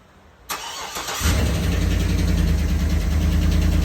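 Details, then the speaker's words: 2011 Cadillac Escalade 6.2L V8 with active fuel management, 178k miles: cold start, cranks and settles into a loud idle with a steady light lifter tick. Quieter once warm but still audible; preceded by cylinder 4 and 7 misfires. "and it's quite loud once it warms up it'll get a little quieter but it's uh it's you can still hear it no matter what"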